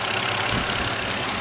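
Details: 2009 BMW 5-series after its misfire was traced to a bad ignition coil and repaired. It now has a steady, even idle with no stumble or skipped beats; all six cylinders are firing smoothly: normal idle.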